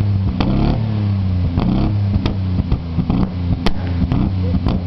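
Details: Ford Sierra XR4x4 twin turbo revving roughly with irregular sharp bangs every half second or so and flames from the exhaust; misfire with exhaust backfire, cause unclear.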